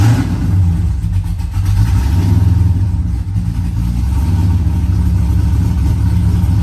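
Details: Corvette V8 together and running, pre-lubed with an AccuSump before cranking: deep even rumble rising and settling as revved, no knocks or ticks; normal running.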